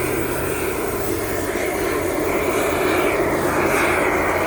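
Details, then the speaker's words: Homemade Kwiky oil burner on compressed air: loud steady jet-like roar with uneven flutter, no clean flame tone; owner suspects too much air pressure, around 40 psi suggested, and later a too-small lid hole smothering flames; air compressor running nearby. "maybe it's too much air pressure and again I hear people say the only way to use 40 psi that's sounding promising"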